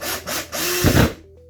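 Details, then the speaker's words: Drill-driver driving a drywall screw into scrap wood whirs in rough bursts with popping as the bit cams out of the screw head; fix is to stop, restart and apply more downward pressure. "hear that popping noise that means you're out of your track you need to stop start over put some more pressure down there"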